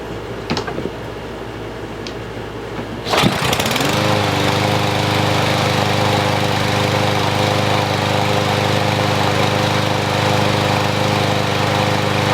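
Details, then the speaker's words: Troy-Bilt TB110 push mower, 140cc engine, no choke, after fresh fuel: catches on a single pull, then steady even single-cylinder drone without misses or surging; starts and runs healthy. "That's all it was, one pull. I didn't even have to pull it a second time or anything."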